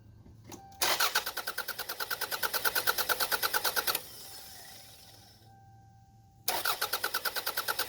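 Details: Toyota Camry after replacing a torn timing belt, cranked with crank sensor disconnected so it won't fire: even, steady cranking about three beats a second, starter turning engine freely; normal cranking with new belt, unlike fast cranking with broken belt.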